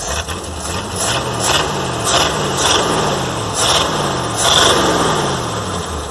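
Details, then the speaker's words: 1958 Plymouth V8 after fitting eight new spark plugs to fix a misfire: even, loping beat with steady pulses, no misses or knocks, much better; heater hose leaking. "I would say that is much better. Got a leaking water hose down there, heater hose."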